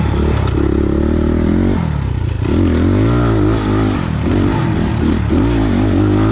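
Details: 2020 SSR SR300 Chinese single-cylinder dirt bike fitted with a Lectron carburetor and idle raised, trail riding over chatter bumps: pitch rises and falls smoothly with throttle, no stumble or bog at low revs. Fuelling sounds correct.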